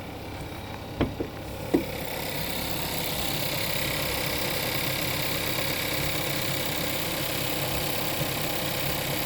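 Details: VW Passat 1.4 TSI 125 hp CZCA petrol engine at cold idle at -10°C, fast light rattle over a steady hum.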